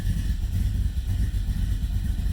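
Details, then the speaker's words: 1990 Camaro, SBC 350 V8 with Vortec heads, Holley Sniper EFI, Flowmaster mufflers, after head gasket replacement, cold start: deep, lumpy idle with steady low pulses, slightly uneven cold rhythm, no knocking or ticking; healthy idle. "started up pretty good Eiling right around where it should be this is cold start"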